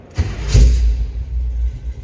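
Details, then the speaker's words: 1971 Chevrolet Suburban start: brief crank, then it catches within half a second and settles into a smooth, low rumble; starts easily, a good-sounding, good-running vehicle with a clean, healthy start. "Now let's start this up. Good sounding, good running vehicle."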